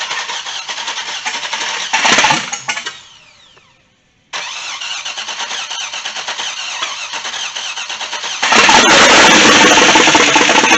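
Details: First start of an LS-swapped Chevy C10 truck with new harness and fuel system, run without coolant and with the MAF sensor plugged in: the engine catches and dies, restarts, then settles into an even, steady idle with a brief rev, sounding healthy.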